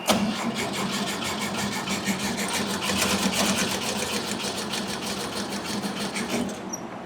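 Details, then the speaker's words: 1971 VW Bus, timing light showing inconsistent spark: starter cranks at a steady fast rhythm throughout but the engine never catches; owner thinks it's flooded, idle cam kicking, coil wire possibly loose; cranks but won't start. "I think we're flooded. Idle cam's kicking."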